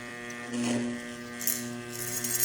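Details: Trooper angle grinder/polisher that sparks heavily and loses power, armature tested on a growler: steady low mains buzz, hacksaw blade vibrating hard against the core over a closed coil; shorted armature coil.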